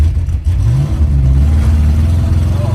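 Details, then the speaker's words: Car driven with fouled, wasted spark plugs leaving two cylinders dead: lumpy, uneven thumping like an air-cooled Volkswagen with no power; misfire from fouled plugs, running cooler as a result. "that sounds exactly like a Volkswagen air cool yeah runs about as good as too yeah wow that runs hideous"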